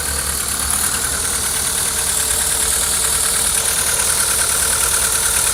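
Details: 2001 Seat Leon 1.6 16V 105 hp (AUS engine) idling with an uneven, stumbling beat, the steady rhythm broken by skipped pulses: engine misfire.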